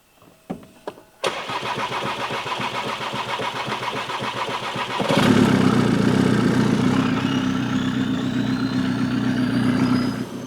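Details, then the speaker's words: 2017 VW Transporter T5 with camshaft signal improbable (P0341), timing belt suspected: about four seconds of steady cranking at roughly four turns a second before catching and running; long crank attributed to camshaft or cam sensor fault. "When the cam shaft either fails or the cam shaft sensor fails, you'll take a long time to start. Eventually, it will start and that's what's going on this."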